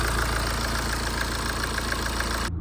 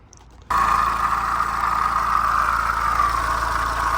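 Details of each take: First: BMW 1 Series 118d diesel after belts, pulleys and water pump replaced with a used pump: steady idle with even light injector tick, no knock or rattle; earlier noise gone. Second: BMW 1 Series 118d diesel at idle after new belts and pulleys and a service: a steady mid-pitched whine persists over the idle, a worn water pump bearing, so the water pump must be replaced.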